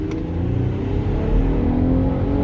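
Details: Nissan VQ35DE V6 (Infiniti/Nissan) driving on LPG after fuel tuning: smooth, steadily rising drone under load, accelerating cleanly with no pinging, stumbling or hesitation.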